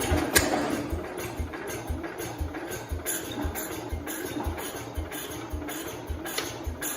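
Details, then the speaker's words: 1969 Cub Cadet 105 reassembled engine that had run on the bench: uneven, stumbling single-cylinder beat that never settles into a steady idle; running rough. Owner suspects a flooding issue. "foreign it seems like we're having some kind of flooding issue which doesn't make sense how is it it started up on the bench you guys saw it we started it up and it ran it tried to start"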